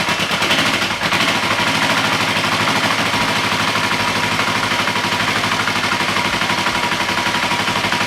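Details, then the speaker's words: Honda CL450 cafe racer project, warmed up with no choke and oil topped off, on a temporary gas tank after ignition and fuel work: a fast, even, crackling exhaust beat holds steady without hunting or misses, a healthy idle, and it is smoking less. "i think that's going to wrap up this episode i'm super stoked the bike started so easily"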